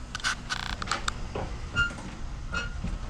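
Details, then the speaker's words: OBS Chevy lowrider truck, hood worked during front-clip removal for paint prep. Short high squeaks come in bursts from the hood hinges, which are being removed to upgrade the bushings and pins. Hood hinge squeak. "so the whole reason why i'm actually taking these off here on both sides is because i'm going to uh upgrade both the bushings and the pins"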